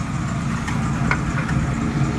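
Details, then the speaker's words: 1967 Mustang V8 with a new Pertronix electronic ignition (replacing points), started ice-cold at about 57°F after sitting a week: a steady, even low idle rumble with no misses or knocks, running smoothly. "yeah that's what it sounds like I mean I might put a different exhaust on it but runs good for not being running a week I tell you that"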